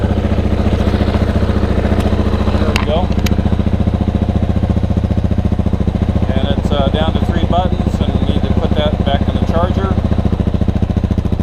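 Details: 2015 KTM 690R Enduro ABS idling after starting from a dead battery using a plugged-in Micro-Start jump charger. Steady, even low thumping of the big single, no knocks or misses; engine running healthy.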